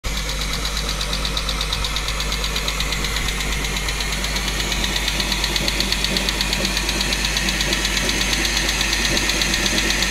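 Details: Chrysler 300M 3.5L V6 running: steady sharp knock about three times a second on top of the engine; internal engine knock, source not yet pinned down.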